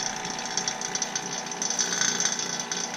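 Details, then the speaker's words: Vacuum pump pulling down 2003 Mini Cooper AC system after new compressor, drier, flush and PAG 46 oil: steady busy mechanical chatter with high whir; pump running normally. "so next step is to turn the vacuum pump on and when we open them it goes back in"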